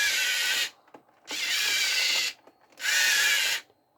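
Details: Three short bursts of high-pitched motor whir at steady speed from an RC vehicle's motors powered by a 5V 2A mini boost module fed from a 1S LiPo (3.6–4.2 V), no stalling or sputter; motors run fine.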